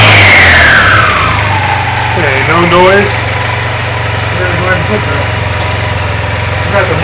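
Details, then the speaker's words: Honda Silver Wing 600 scooter with new belt, after clutch teardown, driven pulley nut torqued to 40 ft-lb and drive bolt to 76 ft-lb, emergency brake on: revs up to a steady drone, CVT clutch grabs cleanly with no squeal; likely was clutch pads. "any time I would give it gas before it squeal now it's not squealing so it must have been the clutch pads"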